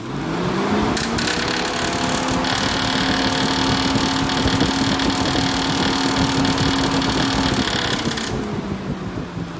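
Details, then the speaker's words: JAC J6 electric cooling fan, tested after its broken blade hub was refitted with a stronger metal piece. It whirs up to a steady hum with a rough scraping rasp, then coasts down; the blade is slightly warped and rubbing. "ela tem alguns lugares aqui que ela tá raspando"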